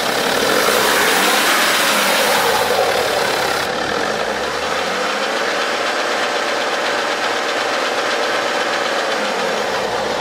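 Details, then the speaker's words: BMW 5 GT F07, 3.0 diesel, N57 engine: noise on initial start-up and when revved, not at steady idle, a dry, fast rattle over the engine note from the timing chain side; suspected stretched timing chain, later replaced. "엔진 소음은 타임이 체인 쪽에 방향에서 나는 것 같아요 요 차량은 no.7 엔진 인데 3.0 또 이제 타이밍 체인이 이 늘어난 걸로 주축이 되고"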